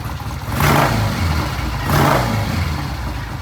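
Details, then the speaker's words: Vintage British motorcycle on a new temporary ignition system lashed to the frame, with new plug wires and timing set: two clean throttle blips rising and falling smoothly with no misses or clatter; revs well, best it's ever sounded. "It sounded good, revved good. But that was the best it's ever sounded."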